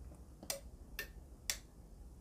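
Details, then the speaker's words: Faulty roller shutter garage door control unit under repair, on mains voltage, remote pressed: three crisp relay clicks half a second apart, then a louder clunk as the door drive engages; relays operating normally. "let us try the remote control i can hear relays clicking and this led indicates that the door is open"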